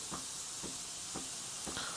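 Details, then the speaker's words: Breville 870XL espresso machine steam wand test, mic near the pump. A thin, airy hiss with faint pulses about every half second gives weak steam; the pump sounds faulty, and replacement may be necessary. "so it's definitely sounds like there's a problem with the pump but I'm going to still continue diagnose it"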